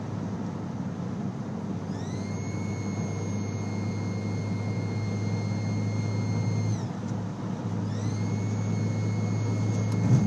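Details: Audi A4 B6 turbo: a steady high whistle rises in pitch, holds, dips briefly and returns over a low engine hum. Broken AFE intake pipe grommets, including the PCV one, were sucked into the turbo and bent one compressor fin.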